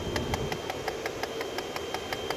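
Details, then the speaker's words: Car with P0441/P0456/P0457 evap codes, engine idling: crisp, even tapping about six times a second that stops when recirculation is switched on; HVAC recirculation door actuator binding and knocking, code recirculation door travel range too large. "Okay, so that noise you're hearing, ladies and gentlemen, is coming from the recirc actuator."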